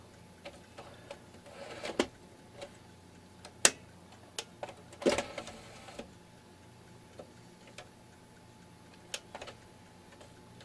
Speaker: slipping in it all right it's just getting old there's nothing to be done you can hear that clunk in the end so that's all it is